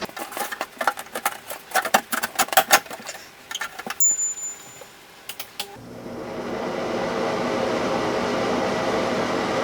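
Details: Bathroom exhaust fan after replacing the motor and blade (old steel plate reused): handling clatter, then the fan starts and settles into a steady, even hum with a smooth airy rush; running properly after repair.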